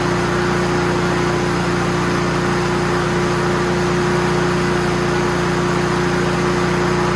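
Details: Honda GCV160 push mower after service (oil change, new air cleaner, PCV breather hose reconnected): single-cylinder engine runs with a steady, even drone and constant tone, no misses or surging; healthy.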